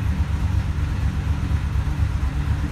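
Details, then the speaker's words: 2014 Ford F-250 Super Duty 6.2 at idle, multiple-cylinder misfire later traced to broken exhaust valve spring; truck shaking badly, rough uneven idle with irregular thumps and popping back through the intake. "man this truck is shaking really bad check our cylinder contribution there's that back popping through the intake I don't know if you can hear that"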